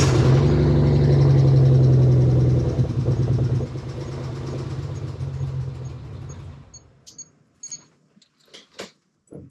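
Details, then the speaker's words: 1992 Dodge Stealth R/T Twin Turbo, just started, low on gas: deep loud idle lopes unevenly then dies on shutdown; may have a misfire, possibly fouled plugs, and sounds like an exhaust leak, no smoke seen. "it does sound like it needs to run a little bit more it may have a little bit of a mist to it and it does sound like it has an exhaust sleep but i don't see smoke"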